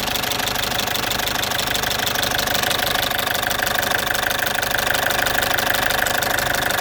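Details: Citroen C5 2.0 HDi 100 kW diesel at idle: loud, with a fast, very regular tick about three per second. The owner suspects the area around the injectors; all four injectors were repaired 15,000 km earlier, along with new piston rings, valve repair and new valve seals.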